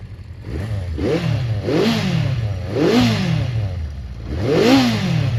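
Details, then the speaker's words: Honda CB400 Four after tappets reset, warm: smooth exhaust note rising and falling cleanly with throttle blips, no internal tapping; only exhaust sound, engine healthy. "That's how it's meant to sound. Just the exhaust note, not the flipping internals of the engine."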